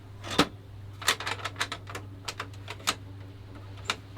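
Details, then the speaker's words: Kyocera FS3820N printer: irregular sharp clunks and clicks, one or two a second, over a steady low motor hum; the paper exit guide meant to keep paper in line is sticking with resistance and hitting the paper. "So that thing is supposed to keep the paper in line as it comes out, but if that is actually getting stuck"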